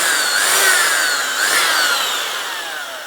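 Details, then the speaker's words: Older 1990s Skil hammer drill, made in Holland, double insulated, passed appliance safety test; quick variable-speed trigger run. Smooth even motor whine rising and falling with trigger, no grinding or rattle; sounds excellent, normal running. "so we give a quick run yeah that test safe so that's fine sounds okay that sounds excellent actually variable"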